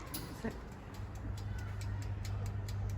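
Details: Hobart mixer timer running normally: light, fairly regular ticking, roughly three to four per second, over a low motor hum.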